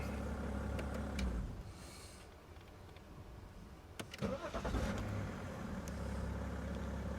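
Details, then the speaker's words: 2010 BMW 530d E61 being diagnosed for a no-crank, starter-not-turning fault; with current measured at the starter terminals, reading about 10–11 amps, a short burst of firm, even cranking clunks as the starter turns the engine over normally. "see it's getting up to about 10 11 amps yeah would that be normal no idea but anyway"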